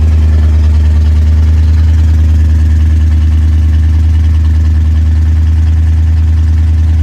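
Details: 1962 Chrysler 300 Sport carbureted V8 that had sat 15 years, after a morning cold start: deep, even rumble at a steady raised idle with no misses, knocks or ticks; a healthy cold fast idle.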